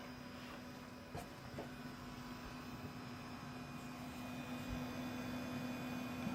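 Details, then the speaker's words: Dell Dimension XPS M166s, Pentium II 300, 256 MB RAM, with a loose, probably non-original power supply, just powered on: steady, even low hum with a faint fan whoosh and no rattles or clicks, running normally. "Thing humming along. Pentium 2 300."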